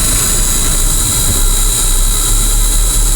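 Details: 1980 Ford F700/F7000 8.2L diesel crane truck, started after sitting unused for a year; a loud, steady, even diesel rumble with no misses or knocks and a little smoke; normal idle.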